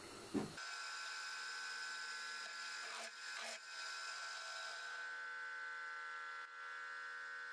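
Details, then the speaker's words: Milling machine drilling holes in a belt grinder motor mount: steady high-pitched electrical buzz under the drilling is the rotary phase converter, not the mill; normal phase converter hum. "And in case you're wondering, that higher pitched buzz in the background when I'm running this is the rotary phase converter. That's not the milling machine making that noise."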